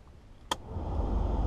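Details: 1984/85 Mercedes 300SD diesel (W126), sat about six years, engine off: switch click, then a low hum builds quickly and holds steady as the heater blower spins up; works on high, while low barely blows and may need its switch contact worked in.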